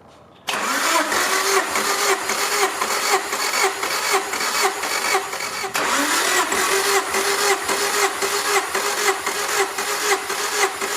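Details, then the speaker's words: Supercharged EF Honda Civic, hot engine, throttle held wide open for compression test, cranked 10–12 times per cylinder. Fast, even starter cranking with no flat spots; cylinders 1 and 4 read about 173–175, compression even. "So there we go, compression test, very easy, very quickly done. You can see on mine, cylinders 1 and 4 a little bit higher. Those were like 173, 175-ish."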